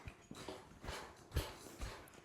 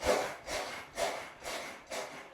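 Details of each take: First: Brand-new trifold Cellerciser rebounder after its springs were oiled with 3-in-1 oil. Soft, dull thuds about twice a second with no creak or squeak, much quieter than before. Normal quiet bounce. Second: Brand-new trifold Cellerciser rebounder before its springs are oiled: a creaky, rubbing squeak on every bounce, about two per second, from dry springs. Squeaky unlubricated springs.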